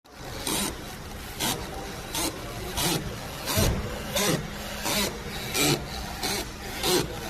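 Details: Dry creaking rasps about every 0.7 seconds as the steering is turned left and right, from worn strut top mount bearings. Tie rods and rod ends had been wrongly blamed for replacement.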